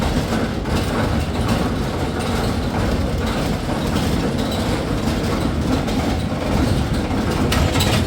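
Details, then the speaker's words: Whirlpool 15 kg vented dryer heats fine but makes loud steady rumble with rhythmic clatter from drum side while running; drum tight by hand; worn drum support roller found, replaced to fix. "now you can check what happened to this roller it is already gone this is the problem that's why it's making huge noise"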